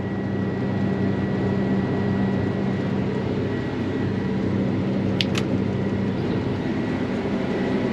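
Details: Case 8250 combine after gearbox repair, rotor speed sensor finally reading, separator and feeder engaged: steady, even drone with constant hum, no knocks, rattles or surging; running smoothly.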